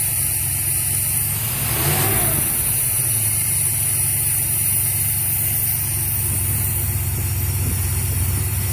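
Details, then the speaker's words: Steady, even V8 idle from a 1981 Trans Am 4.9L 301 Turbo on its first start after a FiTech EFI install, with a deep smooth burble and one quick throttle blip that settles cleanly: normal idle. "good yeah it'll seems to be running right down and good"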